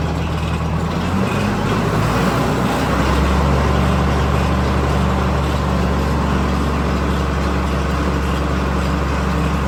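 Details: New Holland 329 manure spreader, bought after about 5 years unused, with the frozen drive shaft replaced by one from an older spreader, driven by a tractor: loud, steady, even low drone with no clunks or grinding; it runs normally.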